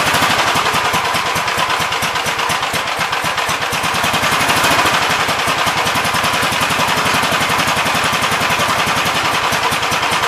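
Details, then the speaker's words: 1971 Gravely model C tractor, single cylinder, after carburetor main jet adjustment; screams flat out with a fast, hard bark and never drops back. Governor linkage needs adjusting to close the carburetor butterfly further; oil pressure good. "so it runs pretty decent i need to adjust the governor linkage so it moves the car butterfly back a little further but uh otherwise it seems decent"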